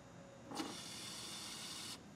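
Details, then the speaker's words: 2004 Chevy Tahoe with 5.3 flex fuel engine (VIN Z), fuel pump switched on by jumping the fuel pump relay terminals during a fuel pressure test: a smooth, steady high whir for about 1.5 seconds, then a clean cutoff. Normal pump operation. "I just turned the fuel pump on listen just so you guys don't think I'm bullshitting you"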